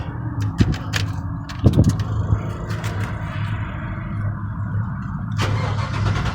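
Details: LS-swapped vehicle just finished at muffler shop, exhaust fully connected: starter cranks briefly, V8 catches and settles into steady, even low rumble with no knocks or misses; healthy idle.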